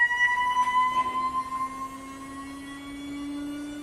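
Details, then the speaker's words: Anycubic Wash & Cure station spin motor run without the wash tank, per support's request: clean steady whine with no knock or rattle, motor sounds fine; the vibration problem appears only with the water-filled tank fitted. "yeah i don't have a whole i don't have a a reference since this is the first cleaning station i've had from them but the motor sounds fine"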